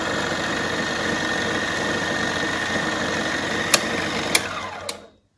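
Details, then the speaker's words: 1940s RCA 16mm projector fitted with a Bell & Howell spring belt to replace the missing forward drive belt, lithium grease applied. First power-on in rewind: a smooth whirr with a fast patter, no knocks, then clicks as it winds down; normal running. "I'll turn the projector on first. It's running smooth."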